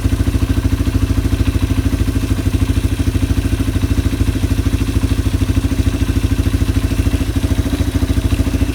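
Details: Yamaha ATV (four-wheeler) carburetor just cleaned, reassembled and float-adjusted, no fuel from overflow; engine idling to clear leftover WD-40 from the carb. Even, steady single-cylinder thumping, no stumble or hunting: normal idle.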